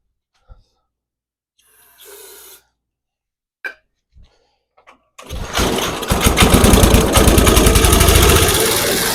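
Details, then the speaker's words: Barn-found Snapper chipper shredder, 8hp Briggs & Stratton, carburetor jets sprayed but not rebuilt: after a few pulls it runs rough and fast, wavering and struggling to hold speed, won't stay running on its own; surging from dirty carburetor. "yeah that carburetor definitely needs some more work it's wanting to go but it's just not wanting to stay running under its own power"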